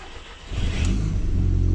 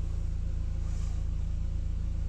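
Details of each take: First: Audi TT, first start attempt: brief crank, uneven catch with a slight misfire and stumble, then revs smoothly; second start fine; G40 sensor fault code stored, G40 later replaced, cause suspected. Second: Audi TT after replacing the old G40 cam position sensor, which caused hard starting: smooth, even idle with a steady low thrum around four pulses a second, no misses or knocks. Codes cleared, no faults found.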